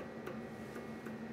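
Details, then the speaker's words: DIY CNC mill spindle with a new Marathon motor, VFD and Gates Poly Chain GT carbon belt: three sharp clicks over a steady low hum from backlash between the pulley and the spline shaft before it turns. "so i do want to point out there's a small amount of backlash between the pulley and the spline shaft you can hear it clicking before it"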